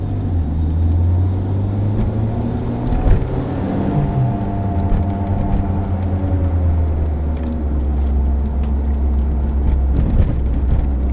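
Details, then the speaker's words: 22-year-old car with 150,000 km, driving: deep steady droning roar that rises with speed and falls as it slows, typical of a worn wheel bearing. "this typical noise rise proportionally to the speed of the vehicle rising while it's taking speed and blower as it's flowing down"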